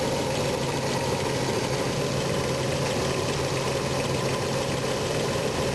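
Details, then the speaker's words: RV engine just after a new distributor was installed to cure crank/no-start: uneven, shaky, lumpy idle close to stalling, shaking more as distributor is rotated one way; rough idle from incorrect ignition timing. "got it started it sounds like it's about ready to conk out again crazy"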